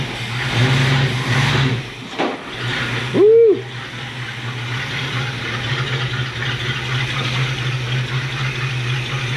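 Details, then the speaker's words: 1966 Ford Ranchero V8 first start after brake, fuel and ignition work: steady low idle under handling noise and a brief squeak, no misses or knocks, timing 12° at idle, idling smooth. "but it's running it's idling really good smooth as can be timing is at 12° right now at idle which is perfect"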